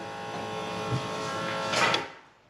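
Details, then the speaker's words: Holley Sniper EFI carburetor-to-fuel-injection conversion with HyperSpark distributor, key-on before first start: steady electric hum for about two seconds then winds down and stops; normal fuel pump priming. "pump primed i think we're ready to start it for the first time i guess"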